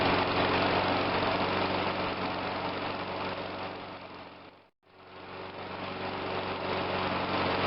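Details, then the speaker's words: Murray 22-inch push mower, Briggs engine, after carb rebuild: smooth steady idle briefly sags almost to nothing and recovers while the primer bulb is pushed during running, a stumble confirming the primer works. "see when as I was pushing it in it started to create a stumble so we know that's working"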